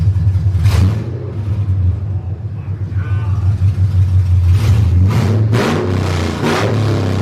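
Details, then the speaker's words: Truck V8 at startup after long-tube headers were fitted, with fresh oil and antifreeze and open headers: a loud, deep rumble with clean throttle blips and no ticking or knocking; the engine sounds healthy. "we don't hear any ticking any knocking thank God knock on wood knock on wood so everything is looking good so far"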